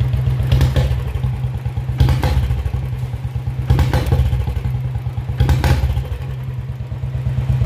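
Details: Royal Enfield Bullet 350 BS4 that dies with a little throttle: single-cylinder thump with irregular stumbles and clattery bursts roughly every two seconds; misfiring, and the CDI ignition unit is at fault.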